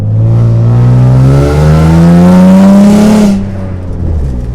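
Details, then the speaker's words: Infiniti G35 coupe, VQ35DE V6, while driving: revs climb, then drop on a downshift with a raspy, blatty, sputtering exhaust note like a tractor, from an exhaust leak. "I'm going to let y'all get like a you know let y'all hear what it sounds like with the exhaust leag like that sounds so"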